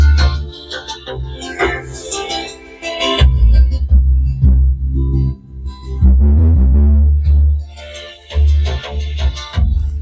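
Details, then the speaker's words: Home theatre after repair and resoldering, playing music over Bluetooth: loud deep bass with crisp highs and no crackle, hum or dropouts, so the amplifier is working normally. "यहां पर देख सकते हो base के साथ-साथ में sound की भी आवाज आ रही है"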